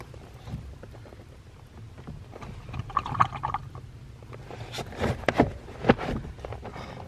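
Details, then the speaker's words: Ford Fox-body car, no motor: brake vacuum booster moved by hand gurgles and sloshes with liquid rolling inside; booster still full of water, no brakes. "and yeah it has the vacuum resin vacuum booster is full of water still that's interesting"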